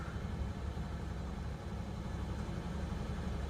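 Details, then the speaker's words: Ford truck at a Copart auction yard, just started: low, slightly uneven loping idle with a faint shake; a little shaky, cause unclear. "Started right up. She got a little bit of the shakes here."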